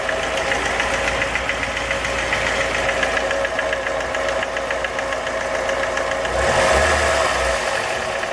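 Sharp, regular ticking knock at about three and a half per second over the idle, steady throughout; a knock of unknown cause.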